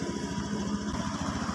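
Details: Honda Scoopy injected scooter after repairing a broken sensor wire, idle 1600 rpm, injector 2.7 ms, O2 sensor graph normal: quick even putter with steady beats, no misses or stumbles; idling cleanly.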